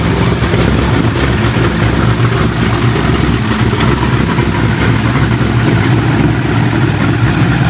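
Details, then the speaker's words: Corvette C6 Z06 after B3 cam and twin-disc clutch install, ported heads and intake, 65lb injectors, E85 tune, first start-up after reassembly: deep, steady idle with a slightly lumpy cam beat, no ticking or knocking; normal healthy idle. "so so there you have it guys b3 cam install along with the rxdr twin disc clutch and it sounds it sounds good"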